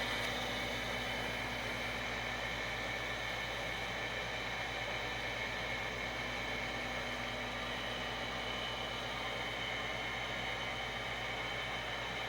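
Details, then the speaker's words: Overhead gas shop heater after it was fixed with two skateboard bearings: the hot surface igniter lights the burner, with a smooth steady blower whir, an even burner rush and no rubbing or wobble. Normal running. "there clicked on there's the the burner open or the gas valve open and now there she goes she hit the hot surface ignit her and we have heat again"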